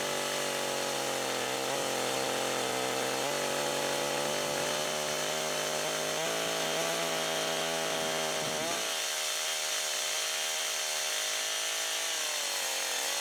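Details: Husqvarna 562XP AutoTune chainsaw from a junk pile, long unused, cutting after 30-40 seconds of part-throttle self-tuning, cold fuel and oil around 15 degrees: high, steady buzz holding speed through the cut, then clearing as it comes free; running healthy.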